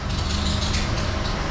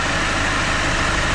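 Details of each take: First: 2013 Mercedes Vito diesel idling: uneven chattering rattle with hissy high screech and bouncing tensioner; misdiagnosed as aux belt tensioner, actually failed alternator overrun pulley, fixed with new Schaeffler OAP pulley and aux belt. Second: 2013 Mercedes Vito diesel van after a new Schaeffler alternator OAP pulley and new aux belt, fitted to cure a screech misdiagnosed as a failed tensioner: steady, even diesel idle, no squeal or chirp; normal idle.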